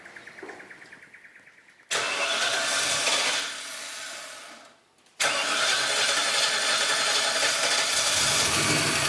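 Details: Holden Kingswood with swapped 304 V8, Haltech Elite 950 ECU, TH700 gearbox, after timing set, no coolant: quick even cranking about four beats a second, catches and roars, shuts off, restarts cleanly to steady run; healthy start-up.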